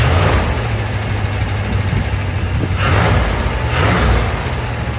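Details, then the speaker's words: 1972 Dodge W200 Power Wagon, first start in years with a Holley carb, 20 PSI oil pressure; steady, deep, even idle with no misses, knocks or ticks and a slight throttle swell midway; normal idle. "Holy crap, look at that. You got 20 PSI. Sitting here. Oh. It was almost idling."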